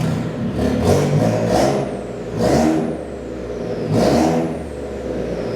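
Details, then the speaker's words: Ford Raptor started: three loud throttle blips with a harsh, raspy roar far louder than stock; exhaust leak from a dump pipe (downpipe) issue. "So what's actually happened with the Raptor is we've got a dump pipe issue."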